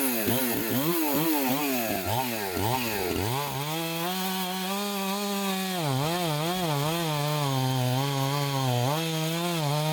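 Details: Chainsaw with an apparent mild port job, test cuts after bench repair and retune: strong high revs dip and recover cleanly each time the chain bites, then hold steady; may need fine tuning or a less aggressive chain; normal cutting under load.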